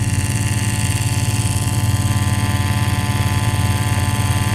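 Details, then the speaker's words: Engine on a dyno heard through a knockbox sensor: even, regular ticking about three per second over a low steady drone; normal valve train noise of valves opening and closing. "So we'll turn that down. This is the valve train noise."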